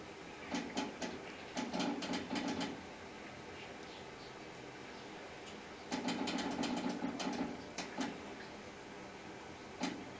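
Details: Home humidifier gives off runs of quick, sharp clicks that come and go over a faint hum; this clicking is heard continuously.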